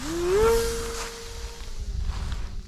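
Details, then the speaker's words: Qidi 550 RC plane, 2800 kV brushless motor, after crash repair of vibrating motor: motor spools up to a clean, steady mid-pitch hum with no wobble or buzz; no vibration before first flight after repair. "Sounds good. Don't hear any vibration, but this will be my first attempt at flying it after the repair."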